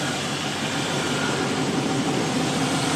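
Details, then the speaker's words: 2002 GMC Sierra 2500HD after exhaust manifold gasket replacement and broken bolt extraction: even smooth idle with faint steady buzz, no exhaust rattle; normal idle, suspected bottom-end knock possibly exhaust rattle all along. "so quiet it's so nice i thought i had a um bottom end knock two degree but maybe it was that um exhaust rattle the whole time"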